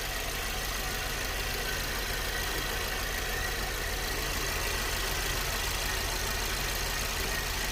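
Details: VW Polo 6 TSI small petrol engine idling with a busy metallic chatter from inside the engine, identified as timing chain noise.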